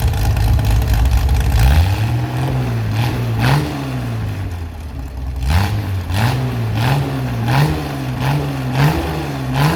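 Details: Chevy SS restoration engine with a non-original cam, running after the fuel level was lowered: steady idle punctuated by quick blips that rise and drop back cleanly, no stumble; healthy.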